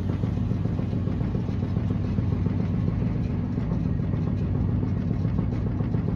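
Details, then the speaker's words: 2016 Maytag Bravos XL dryer (MEDB835DW3), trash-picked, running empty: a steady low rumble with a knock repeating a few times a second as the drum turns. Airflow reads good; the source is unidentified. "so yeah it it makes noise it's got kind of a knocking noise it's got a little knocking noise to it"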